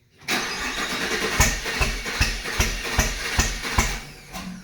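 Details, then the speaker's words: 2019 Camaro SS 6.2L direct-injection LT1 restarted after intake manifold removal: engine catches then stumbles with uneven, irregular thumps two or three per second, misfiring; suspected fuel not reaching a cylinder, later found a stuck injector. "Something's not right. And now we'll start. No, something's not right. Did you hook your pump back up back here and stuff? Sounds like it's not getting fuel to somewhere."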